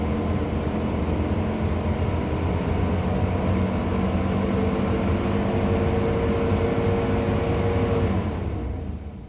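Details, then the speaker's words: 2019 Ford F350 6.7 Powerstroke diesel, warm, just after fuel filter changes and revving to purge air; steady deep rumble under a loud rushing cooling fan whose reason for running is unknown, fading at the end; the engine runs smoothly. "I don't know why my fan is on, but it is. It'll be loud and annoying."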